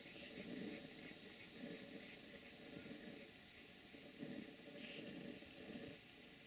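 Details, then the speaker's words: Older Stuart Models No. 4 model steam engine, similar to a smaller Stuart Turner No. 1, run on a Castle Steam V6 boiler: soft, even chuff and hiss at a steady beat with no knocks; normal running. "it's old but good just have a listen to the way it runs"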